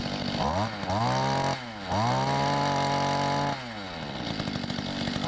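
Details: 1994 Mantis cultivator two-stroke tiller, carburetor tuned per online guide, two primes: revs up crisply, drops to steady idle, picks up again cleanly without stumbling; healthy running.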